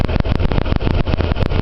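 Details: Warmed-up Nissan Hardbody heard at the exhaust after a new timing chain kit (old guide shattered), surging and lumpy rough idle as if on two cylinders, from ignition timing one notch off; it now starts without holding the throttle, and the owner suspects bad fuel.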